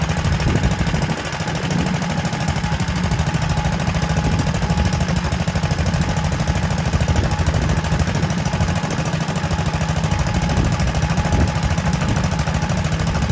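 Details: Kohler K91 single-cylinder petrol engine, first run in six years after freeing a stuck float and rigging a new exhaust to replace the rotten one. Crisp, regular exhaust bark at about three beats a second, steady speed, no misses; runs lovely.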